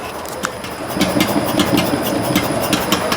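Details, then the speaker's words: Hyundai Santa Fe shock absorber shaft, tested removed on the bench, all parts checked good: sharp repeated clunks with a creaky undertone; noise persisted about a month, so shocks were swapped with another Santa Fe. "O barulho faz na árvore do amortecedor. Tá? Essa árvore do amortecedor faz barulho, faz um barulho grande."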